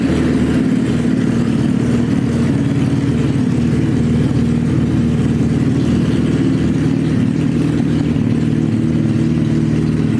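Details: Suzuki Hayabusa GSX1300R after a wreck, newly fitted main fuel injectors, running with no exhaust: loud raw bark with a steady, even firing beat and no misses, now hitting on all cylinders.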